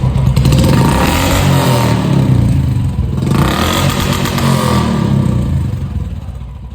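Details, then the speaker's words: Royal Enfield Classic 350 after service, standing exhaust note: deep, even single-cylinder thump rising and falling cleanly with revs, no knocks or rattles; owner says exhaust note is very good, healthy. "இப்போ வண்டியோட exhaust note எப்படி இருக்கு? ரொம்ப நல்லா இருக்கு bro."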